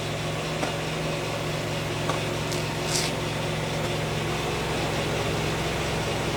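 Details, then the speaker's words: 1995 Pontiac Firebird 3.4 SFI after coil pack replacement: quiet even idle hum, no misfire stumble, small handling knocks; runs smooth, normal idle. "Seems like it's running a lot smoother than it was. So, what we have to do is test drive it now, but it's uh it does seem smoother."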